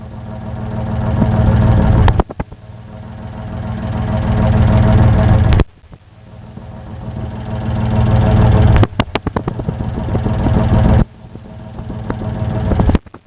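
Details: Isuzu 6VD1 engine rough idle: low idle swells and surges unevenly, beat wandering and shaky with sudden drops; cause unknown.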